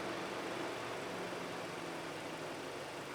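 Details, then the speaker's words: 2004 Mazda Tribute 2.3 L with intermittent cooling fan fault, engine running, fan commanded via scan tool at about 60% duty cycle: steady whooshing fan with even low drone, no rattle or rub; fan and module working normally. "so that's good we've got full control of the module now so it's obviously working fine"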